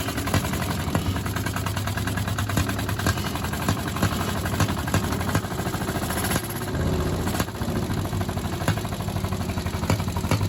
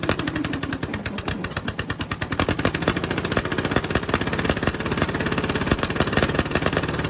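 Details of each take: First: 1951 Caterpillar D8 2U dozer, sat since 1990, seized main engine freed with penetrants, first start attempt via pony motor: steady low rhythmic clatter of big diesel turning over, never firing; cranks but won't start. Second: 1951 Caterpillar D8 2U diesel, sat since about 1990 and previously stuck, running on its own power for the first time: rapid even firing that steadies and picks up slightly as it settles, running normally.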